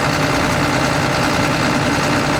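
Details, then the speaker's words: John Deere 9600 combine diesel at cold start, blue smoke, oil overfull smelling of diesel, 37E fuel temperature code: rough uneven lumpy idle, partial miss on one cylinder; injector later tested completely worn out. "So, we're definitely missing one cylinder. I don't know if you can hear that."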